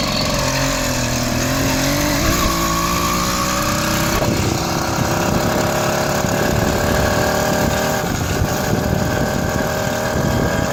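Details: Chinese 80cc two-stroke motorized bicycle engine riding while still cold; carb still needs tuning: sounds flat and stumbling, labours and won't pick up cleanly. Engine bogging when cold.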